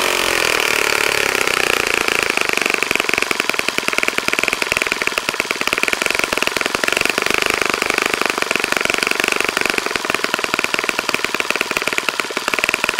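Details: Saito FA-65 glow four-stroke on its first run after rebuild, APC 12x6 prop, Morgan's Omega 10% fuel, Fox Miracle plug, heavily primed to start; steady high-pitched buzz at high revs, no misses or surging; normal running.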